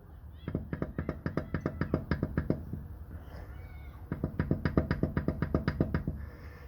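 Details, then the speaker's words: Hyundai Sonata EF (TagAZ), 180,000 km: dull knocks about four a second as the right driveshaft is rocked by hand, from play in the CV joint; the knocking stopped after replacing both driveshafts with originals. "дергаю привод вверх вниз вот вверх-вниз точно такой же звук чуть по глуши здесь у нас такой имеется люфт"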